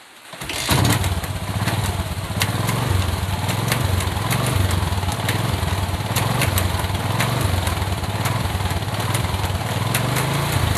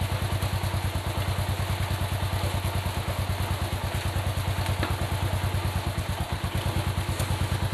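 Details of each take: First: Motorcycle front sprocket making sharp uneven ticking, about four clicks a second, with engine running; lubricating the dry shaft did not stop it, but flipping the sprocket to reverse its position cured the noise. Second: Motorcycle after front sprocket was lubricated then flipped to reverse its position; engine runs with steady low pulse and the front sprocket ticking is gone.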